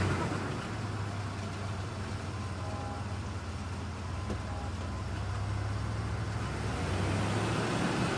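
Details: 1994 Ford Ranger 3.0 automatic, noise only in gear (drive, reverse, overdrive), fluid found low then topped off with Dex/Merc, metallic residue on dipstick: steady low idle with faint whining coming and going; transmission noise, cause unknown.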